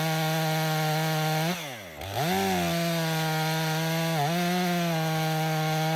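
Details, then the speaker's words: Stihl MS 500i chainsaw, 62 hours, warm, cutting frozen wood at -20 after chain sharpening, calibration and purging: clean steady high scream, brief bog as it bites, smooth recovery; runs excellent. Main problem believed to be fuel pump and stale fuel from sitting. "That saw didn't give me one hiccup outside this time. It runs excellent."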